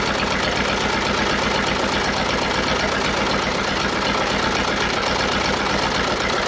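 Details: Detroit Diesel two-stroke in a cheap, long-sat dozer (one cylinder was full of water) runs on only 2 of 4 cylinders; compression 150, 90, 0, 0. Uneven, loping idle, hollow missing beat about four per second; rough idle, dead cylinders, likely from stuck valves.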